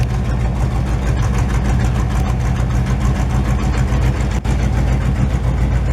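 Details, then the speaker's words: 1968 GMC truck just started after 20 years: deep, loud, lumpy V8 idle with steady low rumble and no knocks or ticks; engine healthy, exhaust very loud. "Not very subtle, is it? no. Somebody's gonna have like a heart attack when you just drive down the street."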